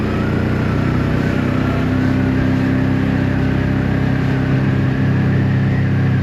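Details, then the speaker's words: 1984 Honda V65 Magna VF1100C V4 barn find during a ride: uneven, lumpy, wavering running note; owner thinks it is running on two cylinders and suspects fuel not reaching the float bowls. "yeah we're we're definitely not running right here I'm not even sure I'm going to get back home"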